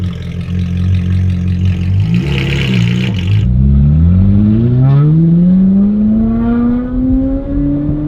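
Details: Ferrari 458 after battery disconnect to reset computers, following surging and very high idle: revs climb smoothly and return right to idle on a quick throttle tap, no stumble; possibly dirty MAF, running properly again.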